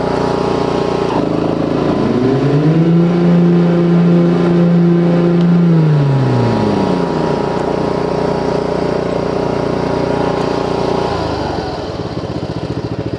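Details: Ariens Zoom 1740 zero-turn with new replacement Briggs & Stratton Intek 19 hp engine, after the 17 hp Kohler Courage cracked its block, warm after mowing: strong steady drone with loud whirring blade hum, even and smooth; healthy engine under load.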